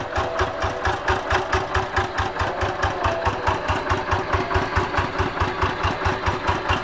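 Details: Single-cylinder tractor diesel after replacing the worn injection pump plunger: starts on low throttle and idles with a steady, even thump about two to three beats a second.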